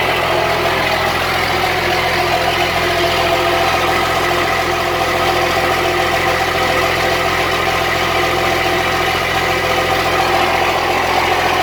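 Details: Cummins-swapped squarebody Chevy diesel truck started after installing dual plastic fuel tanks with one filler neck: steady, even diesel idle clatter with no stumbling or hunting, doesn't seem lacking in fuel; normal idle.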